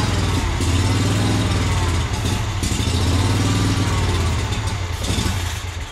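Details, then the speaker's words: Yazoo Kees 42-inch zero turn mower with Kawasaki engine, new carburetor fitted: note surges and sags, briefly picks up, then dies; fuel starvation, unsure if carburetor or fuel lines from tanks. "we're not getting enough fuel so am I dealing with a carburetor issue or am I dealing with an issue coming to the carburetor with fuel that's what I'm not sure about"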